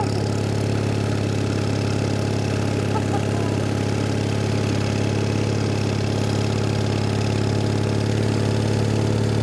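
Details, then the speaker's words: Onan engine on a Davis/Case trencher, idle speed lowered a little: steady, even low idle, no knocks or misses; right where it should be, normal idle. "slower the idle a little there we go that's where it's supposed to be yeah she's mint"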